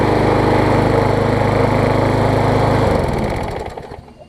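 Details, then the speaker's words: MTD push mower engine swapped onto a Troy-Bilt deck after a blade strike, with the sheared flywheel key replaced: strong, even, steady running with no misses or surging, then a smooth wind-down at shutoff; much better than before. "Alright guys, this thing should run quite a bit better now. Much the camera picks up, but that's a lot better, a lot better."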